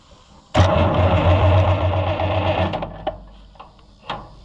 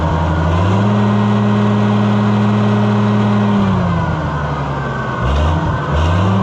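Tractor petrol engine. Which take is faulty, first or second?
first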